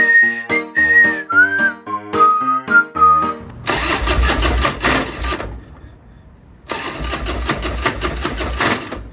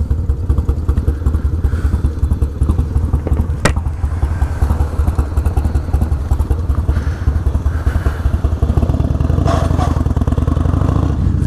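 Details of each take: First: 28-year-old 1996 Harley-Davidson FLTSN, an hour from home: two spells of steady starter cranking with no firing or catch; no spark. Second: 1996 Harley-Davidson FLTSN V-twin idling with a deep, loping potato-potato beat at about two and a half pulses a second, steady and even; healthy idle.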